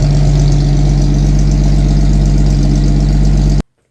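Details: 1964 Chevy II Nova six-cylinder, sat about a year, running after wiring repairs and cleanup; steady, even low rumble at idle with no misses or knocks, then a clean shutoff; normal healthy idle.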